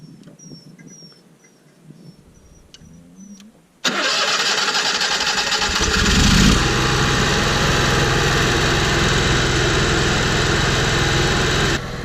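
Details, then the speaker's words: Onan 5500 motorhome generator that had idled rough, died and backfired, restarted after carburetor cleaning and Seafoam through the air intake: a quick start settling into a steady, even hum with no stumbles. It runs much smoother, though the owner says it is not completely fixed. "It sounds much better than it did before. It seems to be running nice and smooth now."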